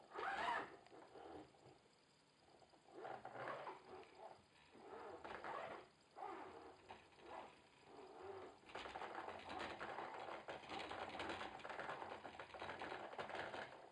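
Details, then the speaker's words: Logitech Driving Force GT steering wheel, second unit after the first was returned for similar noises, at maximum force-feedback strength with game sound off: irregular loose buzzing rattle with each jolt, as if something inside is loose and flapping. Owner suspects a fault, not confirmed. "normal hört sich das nicht an, ey. Das hört sich da an, als ob da drin alles locker ist. Und da drin wie verrückt rumflattert."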